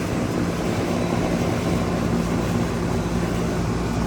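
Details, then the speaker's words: 2003 Carrier 38CKC 3-ton AC condenser with Bristol reciprocating compressor and fan, three 18-inch galvanized Revcor blades, just started: steady even fan rush over low compressor hum, no knocks, rattles or pitch swings; healthy. "so here we have a 2003 carrier 38 38kc three ton air condenser unit that just fired up just recently"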